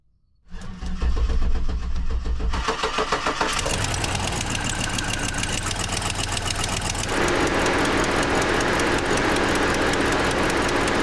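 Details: 2007 Cadillac Escalade cranks, catches and idles lumpy with a stumbling beat; full Bank 2 misfire (cylinders 2, 4, 6, 8) traced to a dropped ignition coil ground circuit, with hacked wiring and broken camshaft position sensor wires.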